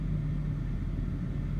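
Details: BMW E60 530i with rough idle and stalling after start: low, uneven, lumpy idle wavering and sagging toward stalling; the cause was the mass air flow sensor.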